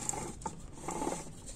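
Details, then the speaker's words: 1999 Mitsubishi Eclipse GS A604/41TE transmission during home rebuild, output shaft and differential installed and hand-spun: light, uneven ticking patter; normal gear clatter because no gear is yet fitted on that side. "not there's no gear on this side so that's why it's making that noise"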